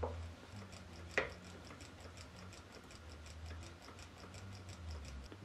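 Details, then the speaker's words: Homemade check valve on a grease-gun hydraulic pump using oil: light metallic ticks at each pump stroke as the ball claps back, yet pressure never builds; check ball not seating. "okay son of a deadly not working obviously the check valve is not seating"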